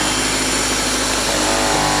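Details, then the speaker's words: Toyota Celica GT-S, 180 hp, just started after sitting at auction: high, fast buzzing rattle over raised idle, something hitting and vibrating; owner suspects a motor mount and thinks it may go away when idle drops; alternator is charging. "it's a little a little noisy she's hitting something and like a little vibrator or something maybe a motor mount or she's charging though so that's good news yeah it sounds like maybe when it idles down it'll go away"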